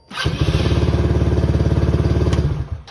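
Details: 170 motorcycle with a dead battery, jump-started about the tenth time in a row with a portable jump starter: brief steady cranking at about 3.5 turns per second, then it catches and fires cleanly; normal engine start.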